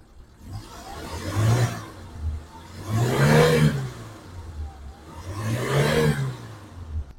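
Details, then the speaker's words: 2006 Suzuki Carry 1.0 petrol pickup, engine dry and not smoking, three throttle blips from idle to high rpm: revs rise and fall smoothly with no knocks or rattles; engine and bearings sound normal, maybe slight tune-up needed; no white exhaust smoke. "Kita dengerin suara dari langsamnya dan RPM tinggi ini sebenarnya mesinnya normal tidak ada kendala kemudian suara dari metal juga aman"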